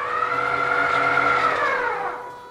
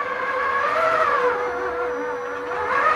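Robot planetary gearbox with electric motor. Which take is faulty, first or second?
first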